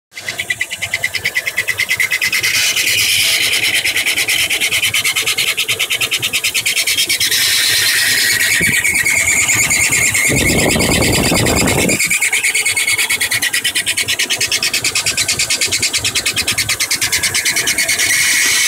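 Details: 2000 GMC Yukon XL 5.3 V8 with 200,000 miles, running: a high, thin squeal pulses about three times a second. It seems to come from the passenger side; the owner first suspected the water pump but is unsure, and the cause is unknown.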